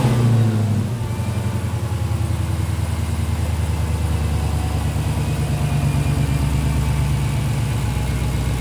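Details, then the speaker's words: Rebuilt auction Dodge Demon 170 supercharged Hemi V8, first start after completing repairs, revved: deep, even V8 rumble settling from first burst into steady smooth run with clean throttle rises and supercharger sound; healthy engine. "A mi punto de vista, estos motores Gemi suena brutal. Definitivamente me declaro un fanático del sonido que hacen estos supercgadores."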